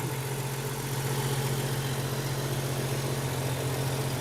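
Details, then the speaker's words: Jeep Cherokee XJ after an all-aluminum radiator replacement, with no leaks; even, steady low idle with a regular pulse and no knocks, misses or squeals. Normal idle. "Jeep sure runs good nothing leaking let's see how we're doing in here"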